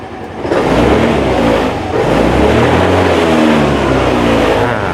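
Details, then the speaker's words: 2020 Yamaha Grand Filano Hybrid ABS scooter, about 10,000 km: engine rises cleanly from a quiet, steady idle and holds a smooth even note with no misses, knocks or white smoke; normal revving. "ก็คือบิดได้ปกติเลยนะครับผมแล้วก็ดับเครื่องยนต์ได้ที่ตรงนี้เลยอ่ะ"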